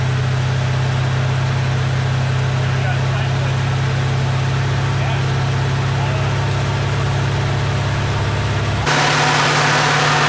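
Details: AMC 360 V8 just rebuilt after a lost cam, with new Summit 8600 cam, lifters, timing set, bearings, Edelbrock carb, HEI distributor, ZDDP oil: deep, steady 900 rpm idle with an even rumble, no knocks, misses or ticks; oil pressure 25 versus under 10 before; normal idle.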